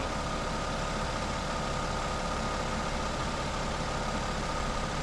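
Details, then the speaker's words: Even idle hum with a constant faint whine, no clicking in and out, as the car's A/C compressor stays engaged while the last refrigerant can charges through the low-pressure port; it had been off and blowing warm beforehand. "you can hear the AC pump staying running now so that's good"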